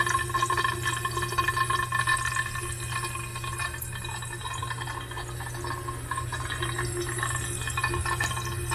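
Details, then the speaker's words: Water pipe with the valve locked off tight still makes a steady hiss and trickle like water filling, under a low hum; cause unknown. "But when you lock it off tight, it makes noise. Where's the water going? Why it is making noise?"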